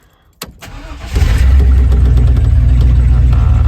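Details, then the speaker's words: 1996 GMC K2500 (OBS) truck that only clicked and wouldn't start, just after its starter was replaced: a short crank, then the engine catches almost at once and settles into a steady idle; the new starter cranks and works properly. "There we go. Brand new starter. Cranks up real nice."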